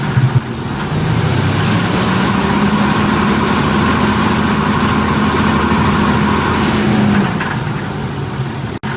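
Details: 2002 Ford E150 4.2 L V6 with a P0340 cam sensor code and chugging on the road, power-braked under heavy load: it sounds coarse and uneven, then eases off; a load misfire from worn spark plugs and a chafed plug wire.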